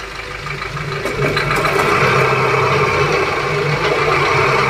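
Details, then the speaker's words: Maruti Suzuki Ciaz on a jack and safety stand, right front wheel spun in the air under engine drive: a rumbling growl much louder than the left side. Worn front wheel bearing needs replacement. "Left side के उसमें ऐसा sound नहीं था इसमें हथ से ज्यादा sound है में हमें बेरिंग चेंज करना पड़ेगा"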